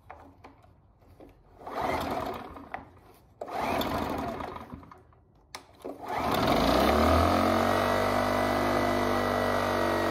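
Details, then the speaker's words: Generac iX800 portable inverter generator, found not starting, after replacing bad fuel and cleaning dirty carburetor: a few pull-start surges, then catches, revs and settles to a steady smooth hum; runs normally. "all right now that everything is put back together all nicely and neat let's give it a quick prime and give it another start see we got it up and running"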